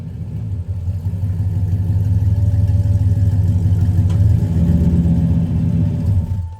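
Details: 1995 Chevrolet Impala SS V8 on a cold start after a driveway muffler repair (Hooker mufflers), revving in a deep, smooth rumble and settling back, no rattles or leak puffs; the exhaust is sound and tight.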